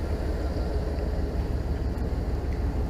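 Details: 1999 Dodge Ram 5.2 V8 after an exhaust manifold repair with a new gasket and bolts replacing the studs: steady, smooth idle rumble with no puffing or clucking at the manifold. Normal idle, leak fixed.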